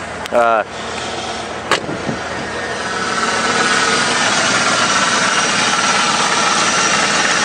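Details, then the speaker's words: Ford truck with 7.5 liter 460 V8, 137,871 on the clock, open element air cleaner, MSD coil: fires right up after a short crank and settles into a smooth, steady idle, no shaking, rattling, knocking or smoke; healthy. "Running nice and smooth, not shaking or rattling. I mean, these 460s, if they start running rough, you'll know it because they'll be shaking around."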